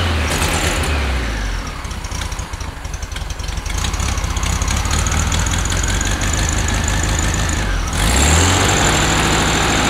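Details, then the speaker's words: 1969 VW Beetle air-cooled flat-four that ran badly, after changing to correctly gapped non-NGK plugs, choke partly still on: after a blip settles into steady, even chatter about three beats a second; smooth, no miss, no smoke. "much better absolutely much better the first part of the choke was still on but now running nice and smooth no smoke as you can see"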